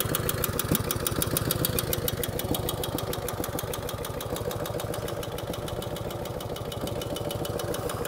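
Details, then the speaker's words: 1949 Harley-Davidson FL Panhead V-twin cold start: loping idle with fast light tapping from the rear cylinder top end, easing as oil reaches the top end; pushrods to be adjusted, solid lifters suspected. "but again that was a cold start a little bit of tapping noise out of the rear cylinder"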